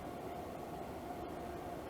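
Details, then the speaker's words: Levoit LV-H133 air purifier after repairing a loud rattle, grille cover off and held down, on medium: steady even airy whoosh with only a faint tone, no ticking or scraping; fan running smoothly and quietly. "I'm going to just hold this down a little bit while I push the button and we will see what happens that's on medium now and it is running pretty quietly"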